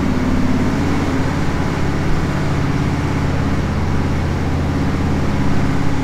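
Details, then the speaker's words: Freshly rebuilt 461 cubic inch Pontiac V8 on dyno after break-in, first untuned mini pass under load: steady flat, thin drone, climbs slowly; extremely lean everywhere, a bit hard starting, otherwise runs great; fuel pressure to be checked. "it's extremely lean everywhere it's a little bit hard starting once you get it going and uh running along runs absolutely great but it sounds lean and it is lean"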